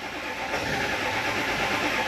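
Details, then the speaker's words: Early-2000s Ford F250 Super Duty, 7.3 Power Stroke diesel at 400,000 miles, crank no start: fast steady cranking with near-catches that never take; injection control pressure only about 26 psi versus 500 minimum needed, code P1212. "She's trying. Nah. Okay, here's our new code. P1212. Injection control pressure not at expected."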